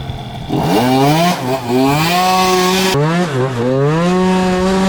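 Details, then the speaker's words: Tuned scooter with a racing cylinder, new exhaust, and recently fitted inner-rotor ignition, after roller and pilot-jet changes: revs climb quickly, then hold flat at one pitch with repeated dips. The limiter is cutting in early because it is set to 0, thought to be the lowest level. "It sounds like it's hitting a limiter. Hang on, I'll go get the screwdriver, have a look at the..."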